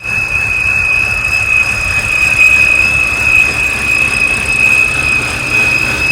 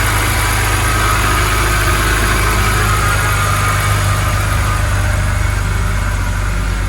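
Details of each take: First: BMW E90 with N52 engine at quiet idle: steady piercing whistle near 2.5 kHz, first thought to be a belt, traced to the oil filter housing, a faulty oil filter or its seals. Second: BMW E90 N52 petrol engine idling smoothly with steady low hum after repair; high-pitched whistle gone, caused by a collapsed or torn oil filter.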